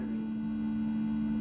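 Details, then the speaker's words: 1980 Bally Skateball pinball machine: the last sound note keeps resonating from the speaker instead of cutting off. The sound board looks previously serviced, with new blue capacitors; a volume or sound-duration adjustment is suspected. "you hear that last note still resonating so that's a little odd"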